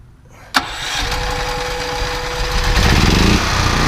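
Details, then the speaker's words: Westinghouse WGen9500DF dual-fuel portable generator started on gasoline, then switched to propane, heard from 10, 20 and 50 feet. Sharp start-up, then a steady, even mid-pitched beat at constant speed, loud like others in its class: normal running. "10 feet 20 feet 50 feet yeah sounds like about a knee generator in this class pretty much they're all kind of loud"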